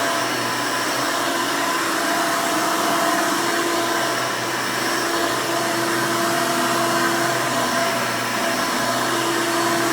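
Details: 1992 Hoover Elite II Total System Performance 650 upright vacuum (U4689-910, square hood, on-board flexible hose), motor untouched since purchase, running: loud, even high-pitched whoosh with steady motor hum, no rattles or speed surges; healthy, smooth motor.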